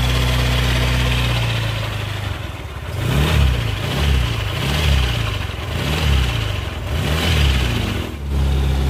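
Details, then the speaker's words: Suzuki Nex scooter: smooth at idle, then a rough growl from the CVT area rises whenever the throttle is opened; worn CVT and final-drive bearings. "nah seperti itu suaranya jadi suaranya itu seperti itu ngorok pokoknya ketika posisi gas ditarik tapi posisi langsam itu mesin halus"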